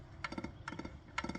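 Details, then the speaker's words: Torque converter from a big-turbo 1955 Chevy Bel Air TH400 build, hand-spun in a Powerglide with turbo input shaft: bursts of sharp clicks like teeth jumping, gone when lifted; converter likely at fault, a swapped-in TSI converter was silent. "right there there you can really hear it to me that sounds like Teeth jumping"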